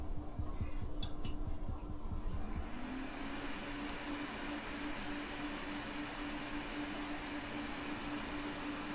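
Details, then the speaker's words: Water-cooled PC build with an ABKO T240 cooler in a Daven aquarium case: constant airy whoosh and hum as the two radiator fans run at full speed without PWM speed control; moving them to a 4-pin PWM header made them quiet. "팬 스피드가 장난 아닙니다. 지금 이 2개는 라지에이터 팬 사용 용도거든요."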